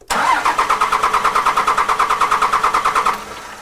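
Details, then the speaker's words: 2002 Dodge Cummins 24-valve diesel after FASS fuel pump and drawstraw install, priming; starter cranks steadily at about three beats a second for three seconds, no firing, air in fuel system preventing start. "So it's beginning to get fuel with the one line and he's going to kind of let the truck, the starter cool off. Okay crank it again. It's beginning to get air here."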